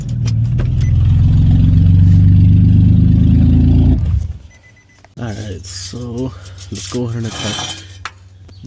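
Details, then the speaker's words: Infiniti FX37/QX70 run with the Y-pipe removed and stock exhaust behind it, before fitting an ISR Y-pipe for an exhaust rattle; open exhaust gives a loud, deep, raspy drone for about four seconds, then cuts off. "let's see how it sounds without the white [Music] pipe sounds like crap"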